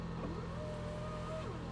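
Soft, steady low hum with no knocks, ticks or whine over the top; the engine idles smoothly and quietly.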